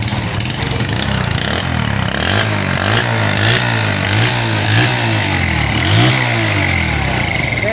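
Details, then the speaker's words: Yamaha Vega R New motorcycle that was hard to start cold, needing up to 20 kicks, and wouldn't idle: after repair it starts and idles normally and revs up and down cleanly with no stumble. "Seperti itu teman-teman ya, nyalanya sudah normal, lamsamnya sudah normal, hidup juga, tidak perlu capek-capek nyala sampai 20 kali teman-teman."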